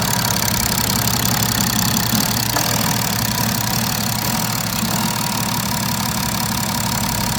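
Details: BMW F10 535d diesel at steady idle after the injectors were refitted into cleaned bores and the intake manifold reassembled: even clatter with no extra top-end tapping; the earlier engine noise is gone.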